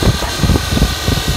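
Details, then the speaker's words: 2004 Dodge Ram 1500 idling with a lumpy low throb and thin steady high whir from the alternator, felt as vibration; alternator doesn't spin freely with belt off, bad bearing, replaced along with idler pulleys and belt tensioner. "I can hear it coming from the alternator. I can feel it. The vibration's not good."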